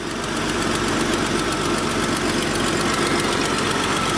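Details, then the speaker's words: Jeep after new radiator, power steering pump, belt and harmonic balancer: engine settles into a steady idle with an even beat, no knocking or squeal; runs fine, slight leak suspected, later found a leaking oil pan gasket. "Alright, start her up, see if she runs. Sounds like there's a slight leak, but she's running alright."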